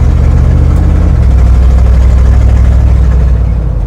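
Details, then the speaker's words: Squarebody plow truck sitting for years, new battery, 60° cold start, no throttle touched: deep V8 rumble idling smoothly, then rising cleanly and settling, no misfire or knock; runs great, needs an oil change, tires bouncing. "It's running great. It's just not really controllable cuz the tires are bouncing so bad. We'll fix that in the next video. Sounds healthy to me."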